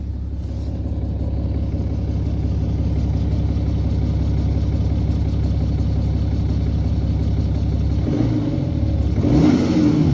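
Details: 2011 BMW 530d xDrive N57 diesel idles with a fast metallic timing chain rattle over its clatter, then revs near the end. Main bearings were also worn; the timing chain and bearings were replaced, curing the noise.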